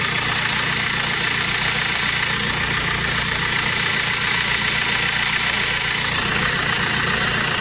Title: صوت مزعج في المحرك والسبب مولد الكهرباء وتم اصلاحه Bruit a normal dans le moteur cause alternateur